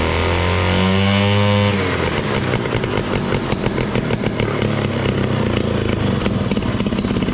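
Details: 1968 Ski-Doo Super Alpine with Rotax 370 two-stroke, muffler off, after fitting cheap fuel line in place of the expensive line: steady tone, then an even, crisp crackle with clean rev rises. Normal running and revving after the fuel line fix.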